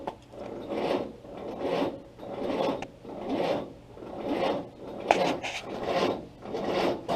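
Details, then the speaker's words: Willys Jeep L-134 Go Devil engine, sitting 35+ years, ignition on, first start attempt: slow labouring crank with heavy swell roughly every second, about seventy a minute, not catching; sluggish. "anyway we're going to turn that off and let's see what we get as we start it pretty sluggish"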